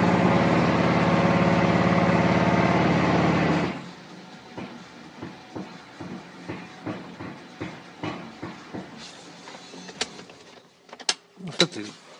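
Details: 2008 Mazda 6 GH steering rack knocks when the steering wheel changes direction: separate dull clunks about every quarter second. After small bumps or a sharp left turn the wheel spins by itself. Cause suspected, not confirmed.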